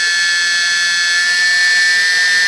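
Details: E-flite P-51D BL UMX brushless motor on the bench around 70% throttle after 100%: smooth, high electric whine at even pitch with no roughness, rattle or cutout; slight backing off at full throttle probably battery discharge rate; normal.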